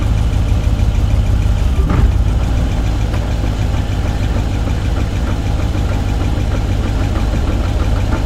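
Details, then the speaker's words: 2011 GMC Yukon Denali Hybrid at 168k miles, after the timing was set and coolant added, showing reduced engine power: uneven, lumpy idle with irregular stumbles and no mechanical noises. Rough misfire, as if running on only a few cylinders. "No uh no mechanical noises that I can hear. Sounds like she's only running on a couple cylinders."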